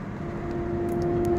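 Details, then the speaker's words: 2004 Chevy Tahoe while driving: a steady mid-pitched whine rises under throttle around 40 mph and quits when lifting off. Front differential whine; ring and pinion gear and bearing suspected. "so I think it's the front differential sounds like the ring and pinion gear and bearing whenever I give it gas it starts blinding when I let off it quits around 40"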